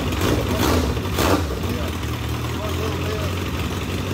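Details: Legends race car, new motor swap on first start-up: lumpy, uneven idle that stumbles and barely hangs on, with a low irregular surging rumble. The carburetor is badly flooding with fuel on a system meant for a two-pound pump; the carb will be pulled off.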